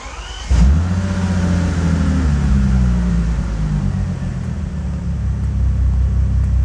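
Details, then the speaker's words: 2005 Bentley Continental GT with long-running electrical faults: after a diagnostic fix, codes were cleared and the engine started. It catches right away into a deep, smooth idle with no misfires or stumbles, all cylinders firing evenly. "No misfires, nothing. Like nothing happened."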